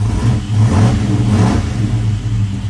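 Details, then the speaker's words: 1985 Chevy C10 small-block with ACES EFI, first start tuning, running rich, warming until cooling fans engage: deep note swells smoothly on a quick throttle blip and settles back, no carb spitting after setting dropped to 20. Clean throttle response. "No spitting out the carb that time."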